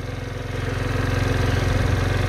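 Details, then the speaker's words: Kymco Agility 50 scooter, nearly 10 years old, about 29,000 km: small engine burbling at a quick even idle, level creeping up slightly then holding steady; idle settled and smooth. "Voilà. Bah là, il se stabilise."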